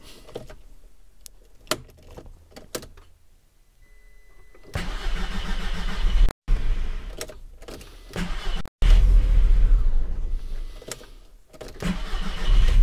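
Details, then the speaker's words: Audi TT Mk1, coolant at 9 °C, first start after filling the tank: several cranks with brief catches before firing to a slightly uneven idle; starts a little better, owner suspects the fuel was the cause. "bon alors effectivement ça démarre un petit peu mieux je pense que le carburant est en cause"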